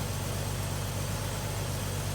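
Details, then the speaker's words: Carbureted Chevy S10, heard near the exhaust pipes after vacuum leak fix, running smoother and cooler; steady even low idle without stumbling or hiss, normal idle. "She seems to be running smoother. She's running a lot cooler since I fixed that vacuum leak."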